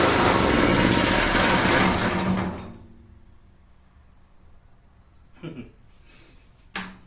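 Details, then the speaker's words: Neglected generator stored about a year, first restart attempt: small engine clatters roughly with uneven beat for a couple of seconds then cuts out; rough running, owner suspects it is losing spark, oil level uncertain. "and then just shutting off shoulders are sounds like it's trying to run hmm foreign"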